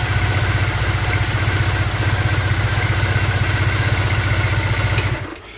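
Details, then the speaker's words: Old Triumph twin motorbike from a shed find, started cold with filthy exhausts and oil unchecked: quick, even fast idle with a steady beat as the cold-start throttle advance holds the revs high. Normal cold fast idle. "And there's that throttle advance that I was talking about earlier."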